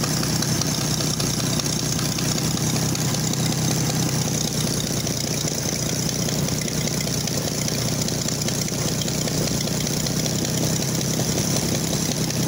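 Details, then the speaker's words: Oliver 880 tractor unrun about 23 years, running only with choke pulled out, bent pushrod noted: steady loud idle with harsh raspy hiss over the low rumble; exhaust manifold leak. "well i have to have the choke out for it to get enough gas to run of course you can hear that terrible exhaust manifold right there"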